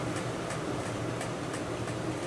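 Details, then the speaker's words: Wanhao Duplicator i3 / Monoprice Maker 3D printer fan after repair, running at 12 volts: steady even airy whir, slight imbalance pulse, no more buzzing; runs smoothly. "is buzzing i don't even know if you can hear it yeah it's it's really smooth now"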